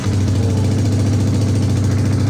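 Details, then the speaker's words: Yamaha Vixion motorcycle starter motor after cleaning the armature and cover to cure a squeaking, crackling noise: steady, even low whirr with no squeal or scraping; starter spins smoothly, repair successful. "Ini sudah bersih kita Nyalakan kita starter kemudian kita dengar suaranya sangat halus oke mantap berarti berhasil"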